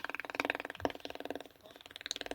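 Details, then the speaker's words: TP.RD8503.PB816 32-inch LED TV with picture and backlight working but no sound. A fast, even "kit-kit" ticking, about fifteen clicks a second, comes from both speakers. "दोस्तों यह जो kit kit की आवाज आ रही है य दोनों speaker से आ रही है और इसमें यह प्रॉब्लम है कि इसका साउंड नहीं आ रहा है"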